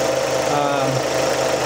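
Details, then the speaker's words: 2006 Suzuki Forenza after cylinder head installation (valves bent by broken timing belt), about 10 minutes after first start as lifters pumped up; smooth, steady, quiet idle with no shaking or misfire. "so it's uh it's actually really quiet you can hear it running right now it's not shaking not missing"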